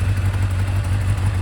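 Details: Kawasaki Zephyr 750 on new spark plugs, side covers off, electrics now on without dying, holds a deep, even low thrum with no stumbles or dips; still needs an oil change; clean, healthy idle.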